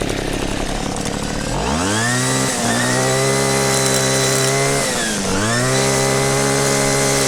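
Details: Cheap two-stroke string trimmer, six or seven years old, after ignition coil test and fix for no spark: starts on choke after a couple of seconds, revs to a high steady buzz, dips once and climbs back, running clean.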